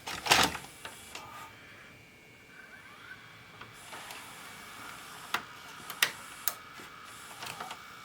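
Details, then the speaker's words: Vintage VHS/DVD combo after lubrication repair: clicks and whirs as the tape drops in, then a soft rising spin as the head drum starts; that click turns the head on, loader now working normally. "okay now listen when this goes in goes down that click that click is turning the head on"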